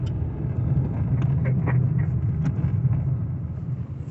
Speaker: You can hear lots of creaking, squeaking, and just very annoying, unpleasant noises from the back end on this vehicle.